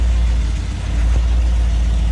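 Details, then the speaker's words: 1977 Chevy G20 van with side pipes, started cold on another day: a deep, uneven low rumble that struggles to settle because the choke isn't working; it needs more choke before it runs properly. "Th- This is actually another day and it's cold and apparently that choke just doesn't work."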